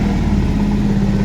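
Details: Bajaj Pulsar BS6 single-cylinder that stalled when put in gear, after cleaning and refitting the side stand sensor: smooth, even putter at steady idle with no knocks, misses or rattles; normal idle.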